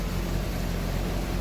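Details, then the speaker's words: 1980 Triumph TR7 carbureted four idling after a new inline fuel filter was installed; short burst of low, even rumble with no misses or knocks, and no longer dumping fuel; normal idle. "TR7 now has a fuel filter, and it even sounds like it's running. And my favorite part about this is it's not dumping gas all over my garage."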